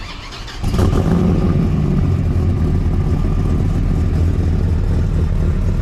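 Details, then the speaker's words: 765hp Dodge Ram SRT-10 Viper truck, returned to its owner after 6 years: catches and settles into a deep, steady, even rumble with no knocks, misses or rattles; sounds healthy and strong. "So, but we're gonna get this thing off. It sounds good. We reunited this classic truck to the owner."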